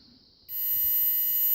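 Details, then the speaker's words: Mopar ignition switch tested with continuity meter: steady high beep holds unbroken in run position; normal continuity, switch good. "pull crank with the yellow and brown it'll make a little noise then when I release it we go back to the blue side"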